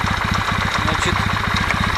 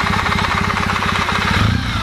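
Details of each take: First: Kawasaki W650 twin, warm at normal operating temperature (quiet when cold): steady light metallic tok-tok at idle in time with the engine; owner suspects camshaft drive gear mesh, valves ruled out. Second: Kawasaki W650 twin idling and blipped after adjusting camshaft gear mesh: even firing with only a faint remaining tick; the cam gear knock is reduced, the rest attributed to part wear.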